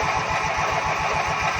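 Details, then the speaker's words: Ranch King riding lawn mower cranking over fast and steady, about eight pulses per second, never firing; inline spark tester light doesn't flash, no spark, ignition coil suspected bad. "If you watch when I crank it over, this here is supposed to flash right there. There's a light bulb in there supposed to flash. And I don't got that."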